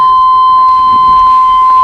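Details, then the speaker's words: 1997 Chevrolet S10 V6 Vortec lights-on warning alarm, which had started sounding randomly, before removing its box under the glovebox/radio: steady, unbroken high electronic tone; the alarm is sounding. "vou ligar aqui tá tocando o alarme agora vamos lá vem aqui ó"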